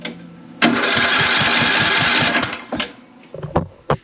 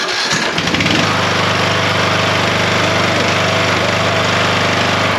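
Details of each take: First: Craftsman LT3000 riding mower single-cylinder with good spark and new plug: starter spins steadily about three pulses a second but never catches; intake valve would not open or close. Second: Craftsman LT3000 mower, which had an intake valve that would not open or close: it catches almost at once and settles into a steady, even putter with no misses; normal start and idle.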